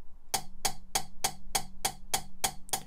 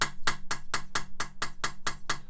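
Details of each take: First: Mitsubishi Evo 4G63 cylinder head rebuild, +1mm oversize valves, nitrided inlet valve being lapped: crisp even pops about three times a second instead of metal-on-metal; properly lapped valve seat. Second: Mitsubishi Evo 4G63 cylinder head rebuild, lapping a valve onto an uncut seat: sharp metallic taps of metal-on-metal contact, contrasted with the popping noise of a properly cut seat.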